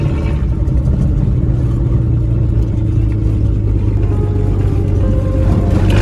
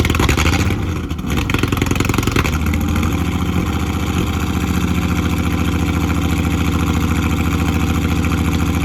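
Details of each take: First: Ford AU Falcon off-road build after spark plug replacement fixed misfire, test drive in open field: smooth, steady low drone with no stumbles or popping; engine running well. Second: Ford AU Falcon with swapped ECU loaded with Ford map, first start after long time: cranks, catches, then uneven lumpy run with a stumble every few beats; misfire, spark plugs then changed.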